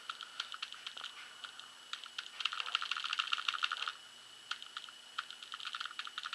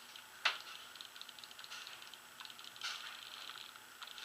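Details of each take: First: 2011 Proto Matrix Rail paintball marker with the eyes off, set to semi mode: crisp, light solenoid clicks, one per trigger pull and never faster. Normal solenoid clicking in semi-auto mode. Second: 2011 Proto Matrix Rail (PMR) paintball marker bought used on eBay, eyes turned off: light dry trigger and solenoid clicks, one sharp snap per pull. Nothing sounds broken, but the trigger sensitivity is off and needs tuning.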